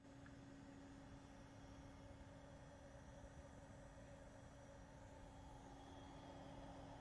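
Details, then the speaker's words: Gaming PC under benchmark load: steady low buzzing coil whine over fan rush, apparently from both graphics card and power supply, with a single split power cable; cause not confirmed. "Já da para notar consideravelmente o Coil Whine Vem da GPU e da Fonte ambos estão fazendo o som do Coil Whine"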